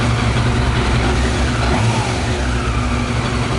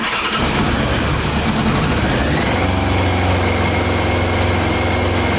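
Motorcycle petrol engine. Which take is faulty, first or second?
second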